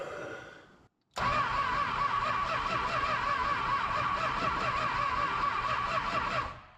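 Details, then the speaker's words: 1966 Chrysler Crown Imperial big-block, sitting 20-21 years, first start attempt: starter cranks steadily about three turns per second for five seconds without firing; crank no start, suspected no spark, points to be checked. "Nothing. I guess we'll be flicking some points."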